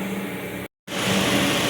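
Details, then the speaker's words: 2002 Dodge Neon after replacing the intake tube at the throttle body that caused idle hunting: steady, even idle hum with no hunting; normal idle after the repair. "all right guys that's working good"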